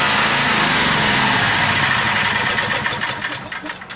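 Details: Small generator engine running on propane or natural gas, cold start with choke: it runs hard, then sags and stumbles, its speed wandering rather than settling; cold engine hunting on start-up, cause not confirmed.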